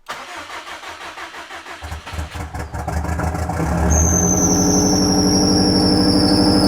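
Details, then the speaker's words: Subaru EJ engine first start after rebuild, check engine light on: starter cranks, engine catches, then a shrill steady squeal over idle; suspected overtight accessory belt, squeal on start-up. "everything that's a loud screeching sound i think where did that come from sounds like one of these belts might be too tight"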